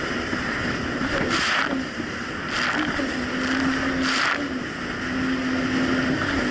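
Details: 2007 Yamaha VX Cruiser jet ski on choppy Lake Michigan, after new .028-gapped spark plugs replaced mis-gapped old ones: steady drone at constant pitch under splashing water, no rising and falling revs; no surging.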